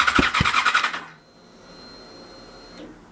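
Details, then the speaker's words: Yamaha FZ6 Fazer S2 with replacement ECU, cranked after easy start sprayed into the throttle bodies: starter churns about three and a half beats a second, one cylinder coughs as if catching, then dies; owner suspects dirty plugs. "interesting so it almost started and now I've got low instead of high clean it may not be starting cuz it simply hasn't got full plugs in decent condition that are clean and good to go"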